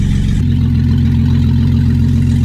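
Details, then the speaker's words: First start of a freshly reinstalled 3.8L V6 in a 2000 Camaro, running on open headers without coolant: loud, raw exhaust note but a steady, even idle with no knocks or misses; engine sounds healthy. "oh wow it sounds like it's running good which is great open headers obnoxious but it's running"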